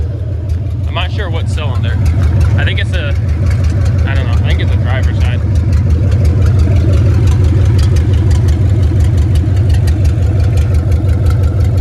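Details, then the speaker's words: C3500HD V8 warmed through a heat cycle, idling with an uneven lumpy beat and stumbles about three a second; owner suspects driver's side, bad O2 sensors or rich fuel trim: misfire at idle. "I wanted to run it through a heat cycle to see if maybe it would fix it. But uh it's pretty warm. Pretty warm right now. And it's still still misfiring."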